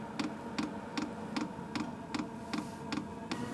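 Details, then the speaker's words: HCALORY 5-8kW diesel heater on a Bluetti AC180 power station through a 250 W AC-to-DC driver, at startup drawing over 200 W: crisp, regular fuel-pump ticks about 2.5 per second, pump dosing normally. "221 Watts I just saw for a brief second fuel pumping starting to click over 200"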